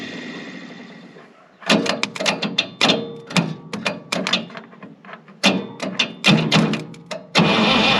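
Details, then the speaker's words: 1965 International 806 Wheatland diesel tractor, sitting since 1995, priming: short uneven cranking bursts with pauses, never firing; ether considered, fuel not yet fully bled through. "yeah it might be time to give her a little ether just to give it make it a little easier on it"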